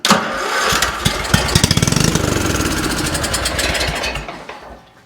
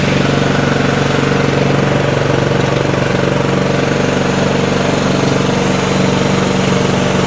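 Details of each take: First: Craftsman 30-inch riding mower given carb cleaner down the intake: catches with quick uneven firing for a few seconds, then dies; spark plug and electrics fine, carburetor issue suspected. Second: Craftsman 30-inch riding mower after carburetor cleaned of green gunk and choke on: loud, steady single-cylinder chug at an even pace with no stumbling or dying; the engine runs properly.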